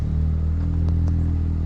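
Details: LS-swapped Nissan 350Z V8 on its first test drive after the build is finished: deep, steady burble at idle with a couple of brief clatters from outside; even firing, engine running healthy.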